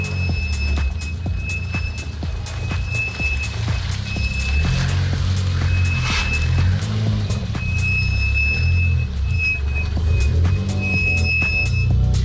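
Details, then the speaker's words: VAZ 2115 rolling slowly off: thin high squeal in short bursts from the rear drum brakes, occurring when moving off after the car has sat parked; cause unclear, new shoes and copper grease planned. "Ну, я не могу себе в голове представить, что для этого должно случиться, чтобы вот так скрипели тормоза именно при этих условиях. Но это есть."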